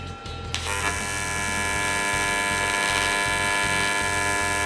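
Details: YesWelder CT2050 AC TIG on aluminum with balance set to 30%: the arc strikes, then a steady, even buzz with a faint crackle, no sputter; clean stable arc and shinier bead.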